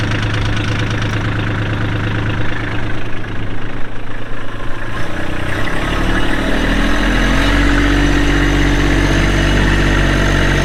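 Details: 2022 Kubota LX2610SU tractor, 4WD, hydrostatic, 138 hours, diesel: steady deep clatter at an even idle with no knocks or surging; normal idle.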